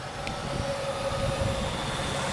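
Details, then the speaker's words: 1996 Cadillac Eldorado, 4.6 L Northstar 32-valve V8, about 17,000 original miles, new battery: even idle hum with steady mid-pitched accessory whir, no knocks or stumbles; smooth normal idle. "we'll go ahead and fire it up for you nice smooth runner"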